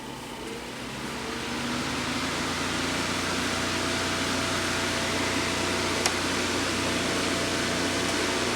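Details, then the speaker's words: Chung Yuan Electric 9" table fan TF-810S after cleaning and servicing, final test on setting 1 with the guard on: steady airy whoosh, faint even motor hum, no ticking or rubbing; slightly less airflow with the guard but runs well. "We definitely lost a little bit of air with the guard on, but it's still moving pretty good air."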